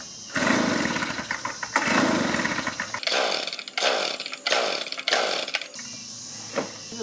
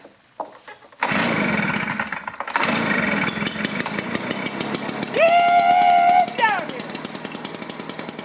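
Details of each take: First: 2-cycle blower, choke on, air filter removed: repeated recoil pulls give short whirring bursts that never fire; intermittent hard-start history; dead no-start, no spark and ignition coil suspected. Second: Two-cycle blower that was hard to start with weak or no spark, after a cleanup, choke on: catches after a few rough pulls, then runs crisp and steady, revs cleanly and drops back evenly; normal running.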